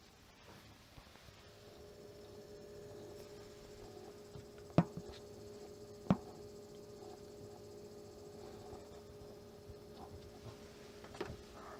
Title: Vega 64 LC Pump grinding noise